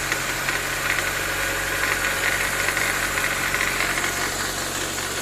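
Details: 2014–2015 9th-gen Honda Civic CVT in Drive, brakes held while lightly accelerating at 1300–1500 rpm, cold (goes away once warm): loose buzzing rattle over idle from the serpentine belt tensioner; belt possibly loose, old or cracked.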